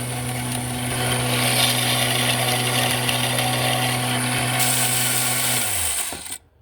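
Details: Air compressor about 8 years old, motor hum with a fast, rough clatter until it spins down; connecting rod bearings blew out of the piston arm, piston ring okay.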